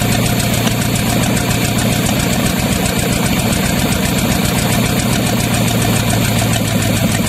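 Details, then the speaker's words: Used Chevy 350 small-block V8 on an engine stand, after carb cleaning: loud choppy, loping run like a cylinder dropping out; good oil pressure; pulling number three plug wire made no change, so that cylinder was suspected missing. "the second thing is act like it's was missing so pulled the number three plug wire off and act like it wasn't doing anything"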